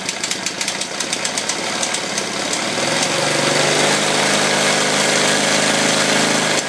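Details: KTM 640 LC4 single at idle: sharp steady ticking about three per second from the auto-decompressor clicking, going away as revs rise.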